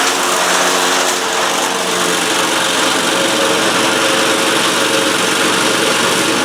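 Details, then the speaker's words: Cub Cadet Ultima ZT2 zero-turn mower with 60-in deck, Kawasaki engine, after repairs of no-start issues (starter solenoid, carburetor, fuel pump): steady, brisk buzz at constant speed with no surging, knocking or misfires; running cleanly, normal running. "but as you just saw, it's running great. It sounds great."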